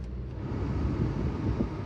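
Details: 2004 Toyota Camry XV30, 2.4L I4, automatic, just started after starter replacement: steady low idle rumble with some wind noise, no knocks or misses; normal idle.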